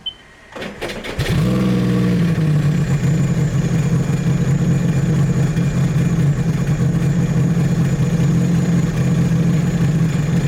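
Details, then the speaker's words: 300hp supercharged 12ft aluminum mini jet boat, after rebuild, backing off the trailer: cranks briefly, catches cleanly and settles into a steady even idle with no knocks or rubbing; normal start and idle, idled off without needing revs. "Backing it off the trailer, it definitely felt a lot better. Before, I'd have to rev it so much to back off the trailer, and this time it just basically idled off."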